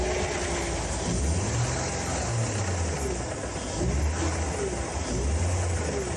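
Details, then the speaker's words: Misfiring engine in a car with 180,000 miles, dyno-run without an oil check or service; it began this noise a day later. Uneven stumbling idle with low thumps and light gearbox chatter that mimics a knock: misfire, not a true bearing knock. "I started it up and it's just got a misfire and it's not actually knocking. And because it's got a misfire, the gearbox is chattering a little bit, which is why it sounds like it's knocking, but it's actually not."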